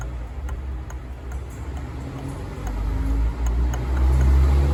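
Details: YES 125 motorcycle engine: a light, regular ticking about four times a second rides over a low engine drone that builds slightly, an unexplained top-end tick.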